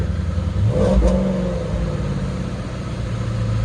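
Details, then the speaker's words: Auction car with actual 19,000 miles, in hot weather, AC running, dash lights on: deep, even engine note swelling with a throttle blip and settling back smoothly, no knocks or rattles; sounds really good. "Okay. Not bad, actually. Not bad at all. Actual 19,000 miles. Sounds really good, for sure."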